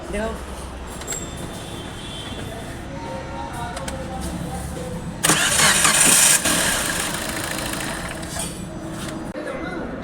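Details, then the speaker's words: Car cranking: harsh rapid whirring grind from the starter motor peaking in a loud metallic burst before the engine runs; starter drive fault, fixed by servicing the starter. "ये sound है self की जो starting motor होती है start करने वाली motor उसका sound"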